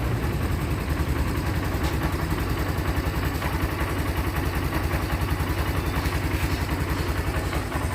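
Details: Even single-cylinder putt at about three and a half beats a second with no misses or knocks from a 2022 Barako motorcycle idling fine on a cold evening. It had been hard to start after sitting a month, and the spark plug was replaced. A chewed black wire was spliced, and it now starts in one click.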